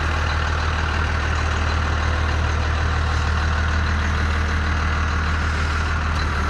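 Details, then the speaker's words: 1992 Dodge W250 with 5-speed and 12-valve Cummins diesel, 288,429 km, muffler and resonator fitted. It holds a steady, even, low diesel clatter at idle with no misses or surges: a normal, healthy first-gen idle. "Like I said, it's got the muffler and the resonator on it, but it still sounds like a first-gen diesel. Those old 12 valves are like tractors. Can't get rid of that sound."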